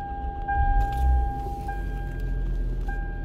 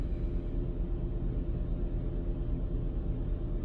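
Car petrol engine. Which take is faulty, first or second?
second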